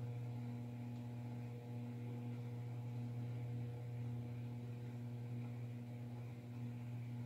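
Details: DIY spot welder with aluminium wires on 20 gauge sheet metal: steady low transformer hum and constant buzz with no weld crackle; the pieces are not welding together, cause unknown.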